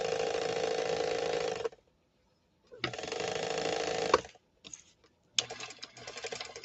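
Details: Sewing machine gives bursts of loud, harsh, rattling clatter with a high buzzing whine, running rough and noisy under the motor: harsh running noise.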